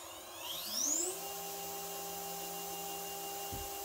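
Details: 2.2 kW water-cooled CNC spindle at 24,000 RPM, no collet nut, VFD cooling fan running: tone climbs quickly then holds steady high whine with faint fan hum underneath; normal, healthy spindle running.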